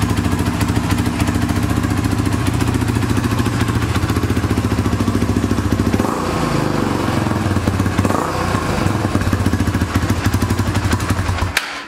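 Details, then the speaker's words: 2006 Honda TRX300EX quad, single-cylinder, cold start after exhaust repair and starter one-way bearing work; even thump at steady idle, dipping briefly with throttle blips then settling, no knocks or rattles; normal idle. "Sounds good."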